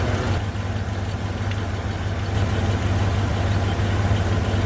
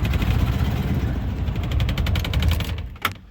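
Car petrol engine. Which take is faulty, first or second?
second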